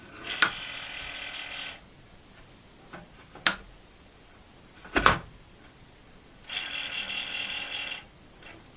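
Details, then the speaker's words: Commodore 8050 dual disk drive recovered from the trash, door closed: a thin, hissing whir with a faint squeal, then clicks. The noise comes from the spindle itself, not its top, and is much milder than its earlier screeching. "see the drive the door is open so it's not the top of the spindle but it's a spindle itself that's making noise and it's actually not that bad anymore"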